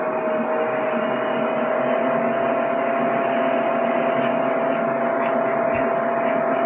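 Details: PC with a Ryzen R7 1700 overclocked to 3.9 GHz at 1.325 V under CPU load, cooled by a Deepcool Gammaxx 400 with dual fans (CPU max 62C). Steady even whir with one constant mid-pitched tone and no rattle, ticking or grinding. Normal fan noise under load.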